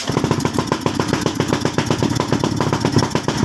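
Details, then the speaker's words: Suzuki Skydrive scooter, hard starting and unstable idle, spark plug already replaced, after turning air screw one then one and a half turns: uneven stumbling idle with irregular popping, still misfiring; airbox removal next. "palyado so yyun mga boss ah palyado siya tapos ma-validate"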